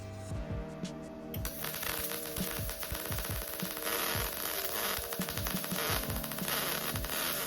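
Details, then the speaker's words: Arccaptain MIG250 in spool gun mode at 15 V and 325 in/min, welding 16 gauge aluminum: uneven crackling arc with irregular pops. Arc sputters from too little amperage for the wire feed; more amperage and less feed probably needed. "You can hear it struggled a little bit, indicating I should probably turn up the amperage some and then decrease a little bit of that feed."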